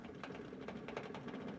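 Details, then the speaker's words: Vintage Ford Motorcraft electronic ignition advertising sign saved from a dumpster, first plugged in: faint, quick, regular rattling clicks about four a second over a low hum, something loose inside; owner says something's definitely wrong. "Something's definitely wrong. She's just making all sorts of like rattly noise here, and it doesn't appear to be scrap pile."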